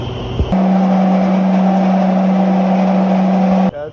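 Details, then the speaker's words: Paint sand mill machine before bearing replacement: loud steady low hum with a rough hiss, then stops; owner suspects worn bearings, which are then replaced. "This sandmill is making too much noise. So I doubt the bearings are no good."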